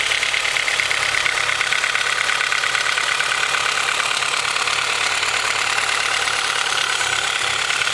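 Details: Honda H22 with Mahle Gold Series pistons, cold engine: light uneven hollow knocking over hissy idle; piston slap from slightly loose piston-to-wall clearance, later rebored with oversized pistons after about 5k miles, no skirt or wall damage.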